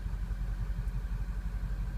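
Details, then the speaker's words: Ford 6.0 Powerstroke diesel with codes P0404/P1335 idles deep and stumbles badly on throttle with exhaust smoke; the EGR valve is stuck open, indicating a failing EGR cooler. "so you hear it stumbling real bad"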